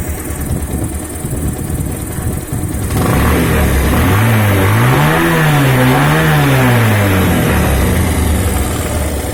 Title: Pulsar 150 timing chain noise